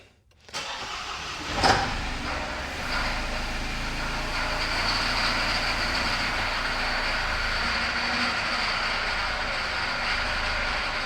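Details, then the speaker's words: Supercharged Audi A6 junkyard rescue after the timing tensioners were disturbed: cranks and catches into an uneven, stumbling idle with a ragged beat, most likely from incorrectly set cam timing. "So, because we most likely have a timing issue, I ended up borrowing a timing tool set for this engine from my friend Dean."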